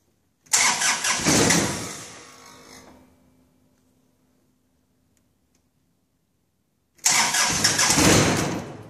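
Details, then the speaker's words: 2014 John Deere 2025 diesel tractor, cold start just above freezing with glow plugs off: two long bursts of ragged cranking, the engine catches roughly and dies with smoke everywhere; it also started badly the day before. "I just started this thing yesterday, and it started like crap. Let's see what happens today. Glow plugs off. Looks like the same situation."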